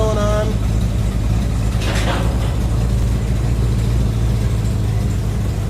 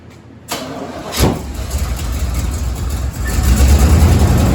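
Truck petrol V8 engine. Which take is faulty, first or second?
second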